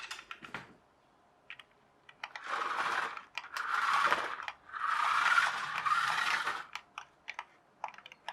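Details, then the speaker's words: Toy Equestria Girls push-along car converted to RC, driven outdoors: short bursts of high electric motor whine with scattered clicks and ticks as the 3D-printed replacement pinion gear slips and jams. "but is that 3d 3d printed gear playing up is jamming that's what it is I can hear it still"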